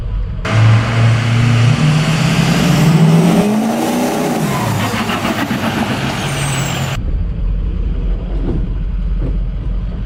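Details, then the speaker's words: 6.0L Powerstroke diesel truck on the performance setting after a SPELAB intercooler pipe replaced the leaking boost pipe. Hard pull with a turbo whistle rising cleanly and no hiss of escaping air. Sounds much better, boost leak gone: normal boost under acceleration. "It sounds a lot better [Music] [Music] though. Wow. There's no boost leak at all anymore."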